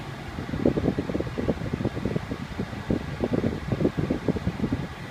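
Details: 2001 Lexus RX 300 whose AC had made loud grinding, clicking and rattling sounds: soft steady blower whoosh with light airflow flutter and no grinding, rattling or clicking; the cabin blower is running normally.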